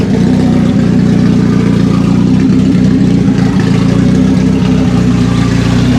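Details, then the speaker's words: 1991 BMW 318i revived after years of sitting: an uneven, lumpy, wavering idle with stumbles. With the MAF unplugged it ran smoother and with it plugged back in it stalled, so the MAF sensor is confirmed bad and needs replacing. "Okay, so the MAF sensor is definitely bad. I unplugged it, and then it ran like a lot smoother, and then I plugged it back in, and then it actually died."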